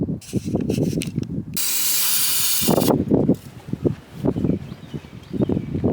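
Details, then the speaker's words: Land Rover with no start and no codes: uneven cranking bursts with hiss between tries, never catches; owner suspects a fuel issue after testing spark, compression and fuel pressure. "I think my theory is right, gentlemen. I think we have a fuel issue."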